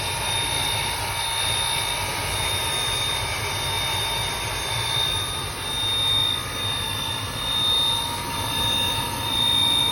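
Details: Riello 40 F5 oil burner: a steady, unchanging high-pitched squeal over the burner roar. The sealed motor bearing (no lubrication points) is the suspected cause, unconfirmed.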